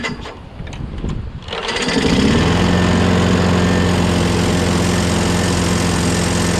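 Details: Craftsman lawnmower, Briggs 6.5HP Quantum engine, after carb clean, new starter, battery and magneto, primed, electric start: short crank, then catches and settles steady at about four beats a second; starts cleanly, owner hears an unexplained clanking.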